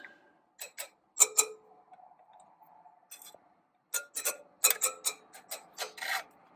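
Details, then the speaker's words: 2018 BMW R1200GS bought with 350 miles, rear wheel spokes tapped with a wrench: irregular sharp taps, many dull short thuds instead of a clear ting; 14 loose rear spokes, 3 front, wheel deemed unsafe to ride. "take a wrench to them tap them lightly here for the ting ting ting and if you here thought that thud you know a dozen times don't ride the bike"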